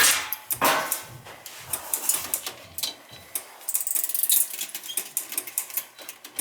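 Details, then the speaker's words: Dunkirk high-efficiency floor gas boiler: uneven sharp relay clicks, about a hundred a minute, with nothing firing, even with the thermostat disconnected; water found inside; suspected bad control board. "this connector is still clicking back and forth nothing's still operating on and off on and off"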